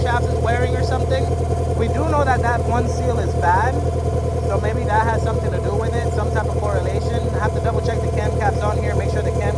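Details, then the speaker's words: Turbo B18 VTEC (LS-VTEC) Honda Civic EK hatchback at warm idle with everything on: steady whine over the engine, suspected in the valve cover (camshaft) or possibly the alternator; idle-air control also compensating, possible vacuum leak. "Either that or it's the alternator. But it sounds to me like it's in the valve cover now that I listen to it with everything on."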